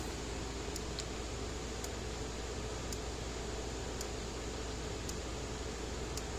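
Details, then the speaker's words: Early-2017 American Farmworks 60-mile electric fence charger, in for repair, plugged in: light flashing and crisp single clicks roughly every second over quiet hiss, steady and even; pulsing normally, tester later shows about 8,000 volts. "but let's plug it in and see what it does here now it's flashing the light clicking"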